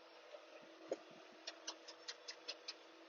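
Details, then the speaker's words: John Deere 5090M tractor with Rome Plow box blade and Canamek laser grade control, grading a sports field while turning: faint sharp ticks about five a second as the electric valve pulses; normal cycling while the system hunts, trying to go down. "So right now we got a green light, a little bit of a red, so it's trying to hunt a little bit. It's trying to go down."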